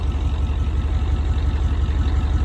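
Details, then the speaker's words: Van with an IDI diesel running a tank of used motor oil mixed with about 5 gallons of diesel, left idling to burn it off: low, steady idle with a light, even clatter on each firing. Considered the normal IDI knock. "Leave it running since it has so much used motor oil in the fuel tank. I want it to burn a lot of that off so I can start making it run better by just running diesel, because it sounds like it's knocking a little, but it's an IDI. They always do that."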